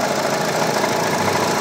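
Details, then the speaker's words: Hyundai Tucson CRDi diesel at idle: fast, dry metallic clatter, very noisy and louder with A/C on; worn auto belt tensioner, belt also to be replaced. "dito. So napakaingay ng andar niya yan. So masalo pagka naka-aircon ang lakas ang lakas ng droke dito."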